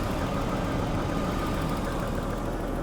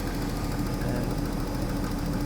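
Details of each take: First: Daimler XJ40 that broke down on the highway: a steady, even idle with no misses or surging while coil connections and other wiring are wiggled. Owner next wonders whether a poorly seated part was making a bad connection. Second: Daimler XJ40 (old Jaguar) idling the day after it broke down on the highway in the rain: a steady low rumble with a faint uneven throb. It shimmies and is not as smooth as usual but responds to revs normally. The fuel pump relay is about to be checked. Cause unknown.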